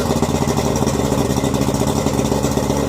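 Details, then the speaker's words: Yamaha 90 hp two-stroke outboard on its first run after a rebuild (new pistons, rings and water pump, rebuilt carbs): loud, steady drone held at raised speed after a cold start; normal high idle until the computer drops it to low idle. "I'm normal high idle switch that Yamaha has that causes them to high idle until the computer says to low idle."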